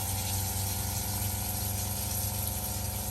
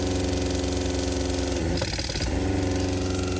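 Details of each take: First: New SEAFLO water pump replacing a loud original in a caravan RV, microphone near the pump with tap on: steady, low, even hum with faint whir, no knocking or surging; much quieter, improving as it bleeds. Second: Caravan's original 12V water pump, to be replaced with a SEAFLO quiet pump: harsh buzzing hum with a fast hammering pulse that briefly stutters twice; excessively loud, knocking pump.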